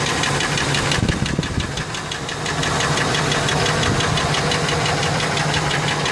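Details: Ford F150 4.6 2-valve V8 at idle with a steady, deep bottom-end knock about three per second; not lash adjusters, owner suspects rod bearings but says it seems to come from the clutch, maybe a broken spring.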